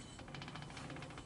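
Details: 4x4 square body truck rear differential turned by hand, with quick even clicking and excess backlash; owner suspects bad spider gears, not confirmed; axle seal also leaking.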